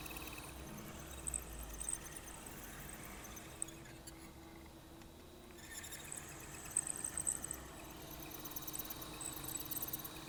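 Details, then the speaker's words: Accurascale Class 60 model locomotive, body off: a quiet motor hum with a thin, shrill squeak that cycles with motor speed. It comes from inside the body where the motor shaft meets the bogies. The owner couldn't get oil in there. "You can tell it's definitely more of a rotational noise than anything else, that's for sure. And the RPM of it sounds very, very similar to how you'd expect the motor to be going with the RPM of the motor."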